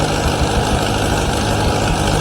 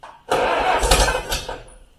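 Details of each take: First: 1953 Allis Chalmers WD45 gasoline tractor after rebuild with new head gasket, radiator and hoses, steady even idle with a low rumble and no knocks or rattles; normal running despite coolant leaks at manifold studs and head gasket. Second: 1953 Allis-Chalmers WD45 tractor, first start attempts after over a year parked: short cranking burst with brief cough that dies within a second; won't catch and run, fuel issues or plugged tank suspected, not confirmed.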